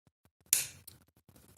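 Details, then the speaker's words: Chieftec Navitas 650W Gold (GPM-650C) PC power supply, being fitted with a Noctua NF-P14s redux-900 fan to replace its loud fan: a few sharp dry irregular clicks right after switch-off, cause unclear. "power supply. You can hear the clicking."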